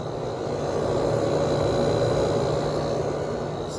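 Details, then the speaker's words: Window air conditioner startup test (one of a Fedders 7500, Sharp 10,500, Emerson Quiet Kool 6,300, Whirlpool 6,000), starting to get cold: steady, even hum with a faint constant high tone. The compressor runs smoothly with no rattle, surging or cycling. "starting to get cold compressor sounds great [Music] okay the compressor is pretty much evened out on this thing so"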